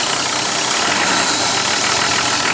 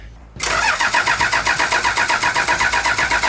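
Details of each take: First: 1984 Toyota Land Cruiser HJ47 with 2H diesel, first running after 19 years parked, injectors bled, glow system previously bypassed: steady diesel clatter at an even idle with no misses or surging. Running cleanly. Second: 1984 Toyota LandCruiser HJ47 with 2H diesel, unrun for 19 years, injectors bled: steady cranking about four beats a second with no firing. The previous owner had bypassed the glow plug system, wired straight to the rail.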